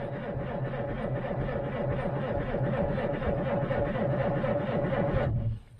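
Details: 1947 Dodge with a 6-volt system, sat three or four months in cold weather: slow, even cranking at about three turns a second for five seconds with no firing, choke pulled, mechanical fuel pump priming. Cranks but will not start.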